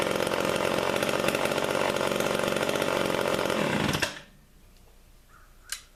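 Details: Homelite Big Red two-stroke chainsaw, restarted warm without choke: buzzes at a steady, even speed for four seconds before shutting off; runs cleanly after the warm restart.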